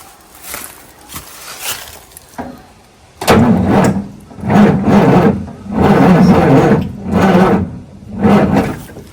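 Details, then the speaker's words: Freightliner FLD with Caterpillar 3406E diesel, left for dead after a rollover, cranking with heavy rhythmic groaning knocks about once per second; suspected spun bearing, with metal-to-metal contact and no lubrication, not confirmed. "uh so that's what happens when you've got a spun bearing uh and the cranks pad and it it's metal to metal there's no lubrication no lubrication"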